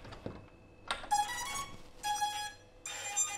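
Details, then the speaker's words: Brushless motor wired to two 30 A ESCs in parallel, on power-up: three rough, buzzy startup beeps instead of clean tones, as if one phase were off, because two controllers fight over one motor. "i'm not sure if you were able to hear the motor beeping but this was definitely not the clear motor beeping it was like something was breaking one of the faces was off or something like that"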